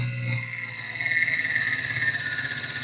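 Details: Desktop PC at power-on gives a loud, high, steady screech sagging slightly in pitch over a low hum; a failing fan is suspected but not confirmed.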